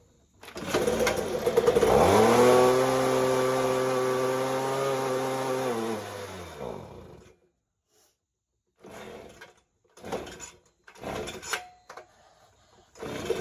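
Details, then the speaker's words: Ryobi two-stroke leaf blower, after carburettor adjustment: buzzes high, bogs and sags as throttle drops, dies within seconds and won't hold idle; owner suspects idle speed needs turning up, not confirmed. "better doesn't idle maybe I need to turn the idle up instead of just adjusting the carburetor"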